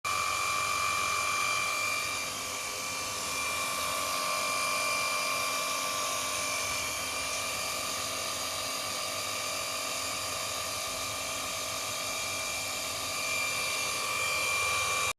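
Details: Mitsubishi Electric household water pump, used for 10 years: a steady, piercing drill-like whine over a harsh hiss from worn bearings.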